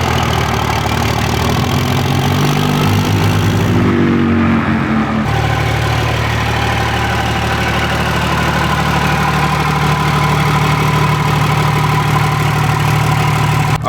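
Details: 2007 Ram 2500 4x4 dually diesel warming up after installing Flux 103% over injectors, Hamilton valve springs and Smeding pushrods, oil and coolant topped off: steady even idle, low smooth rumble, no knocks or misses; sounds healthy, later runs without smoke.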